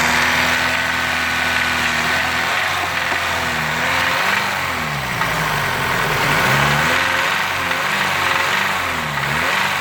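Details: VW B6 1.8 TSI, timing chain, guides and tensioners already fully replaced: revs swing through the mid range with a light, uneven tapping appearing between 2000 and 3000 rpm; engine knock of unknown source.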